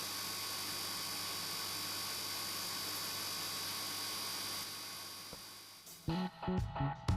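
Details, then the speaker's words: Fluval FX6 aquarium canister filter after 3–4 months without cleaning: steady loud low electrical hum with a faint buzz; reportedly it stops humming once the filter is washed. "Но вот так он начал гудеть А вот слышно что очень громко Потом я покажу когда он уже помытый"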